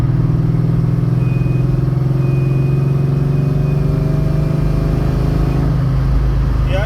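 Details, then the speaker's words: 1995 SN95 Mustang, light acceleration while driving: a thin, high whistle rides over the steady engine drone and fades as the throttle changes. Owner suspects the throttle body; unconfirmed. "okay guys I don't know if you can hear it but when I accelerate lightly you can hear my throttle body whistle well I think it's a throttle body"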